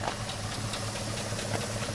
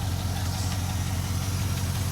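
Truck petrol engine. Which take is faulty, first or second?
first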